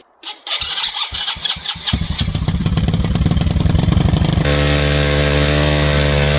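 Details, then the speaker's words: Mini bike build, first start of a new engine spun over with a drill: a few uneven pops, then it climbs to a steady high buzz that never drops to idle. It revs too high and the carburetor wouldn't adjust. "okay so I spent a lot of time I'm dealing with this thing trying to get this thing to stop revving so high"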